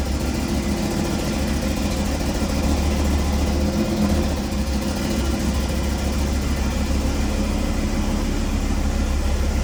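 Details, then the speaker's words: Audi RS3 2.5 TFSI five-cylinder, brought in for an oil leak; shaky, lumpy uneven idle with irregular stumble, limited RPM, misfiring; suspected cracked piston pressurising the crankcase and blowing crankshaft and breather seals; engine later removed and stripped: misfire from cracked piston. "shaky shaky limited RPM misfiring not good"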